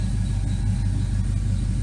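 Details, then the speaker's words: 1979 Firebird Esprit, 5.3 V8 swap with Powerglide, shorty headers, straight 2.25in duals, cold idle at 29–30°C, O2 sensor not in, open loop disabled, warming up; deep steady rumble, even beat, no knocks or ticks, idle spot on. "good vacuum idle seems pretty spot on as it heats up"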